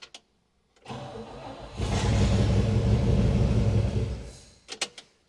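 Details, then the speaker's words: One-owner 1960 Pontiac Catalina 389 V8, sat in a garage since 1985, first start with points only lightly scrubbed: cranks briefly, catches and runs rough a few seconds; points decent enough to run. "one and it fired up so obviously the points are decent decent enough where it's going to run"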